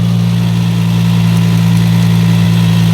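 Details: Engine that had a starting problem, heard after the negative battery ground connection was cleaned and replaced with an anti-theft terminal connector. Strong, even idle hum with a steady low drone and no misses or odd noises; normal idle.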